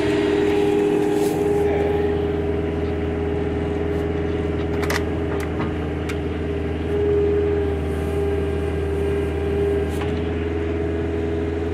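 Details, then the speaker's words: Small Kubota diesel after sitting, just started; injection sometimes sticks at first start and blows fuel smoke before clearing: steady, even low chug with no misses or knocks, a normal idle. "That little Kubota purrs like a kitten."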